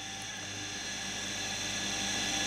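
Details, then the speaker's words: Homemade 230V three-speed fractional-horsepower induction motor (65/95/130W), built from a central heating pump's stator and rotor in self-cast aluminium housings. Stepping from speed 1 to 3 gives a quiet, smooth hum that changes tone only slightly; running is normal. "you'll hear the motors changes tone slightly ever so slightly do it again to freeze speed free"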